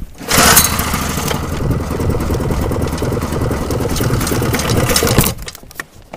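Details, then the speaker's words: Pull-start engine with a shortened pull cord, whose plug was badly fouled the day before: a few seconds of rough, uneven puttering after the pull, then it dies without catching. The cause is not confirmed. "ank it quite a bit to to get it to Pump Fuel up and start but anyways um and this one yesterday I had it fouled out pretty bad"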